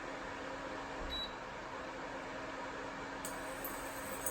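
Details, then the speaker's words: Breville Quick Cook 2100W portable induction cooker (LIC400BLK) heating: steady low buzz over the loud cooling fan whoosh; owner finds the buzzing odd, unsure of cause. "huge fan of this fans loud speaker but buzzes quite a bit it is powerful"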